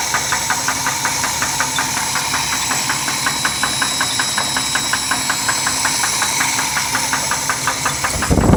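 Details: Ford 250 inline-six engine running: sharp even knock about 160 a minute from inside the engine.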